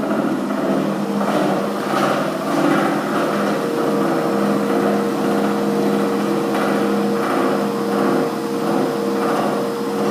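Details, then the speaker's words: Year-old gym treadmill with no one on it: motor hums steadily at speed 10 (running speed) while intermittent thumps and rattles come and go. The noise is worse at 10 than at 6. "in a moment you'll hear a noise um this noise actually gets a bit worse when you put it up to I'll just put up to 10 which is a running speed"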